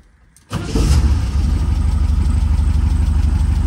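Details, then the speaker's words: 1967 VW Type 3 Squareback after swapping to a Pertronix Flame-Thrower SVDA vacuum-advance distributor and first break-in oil change, before dynamic timing to 30°: engine catches within a second and settles into a steady, even low idle; normal start and idle. "pretty good starts right up"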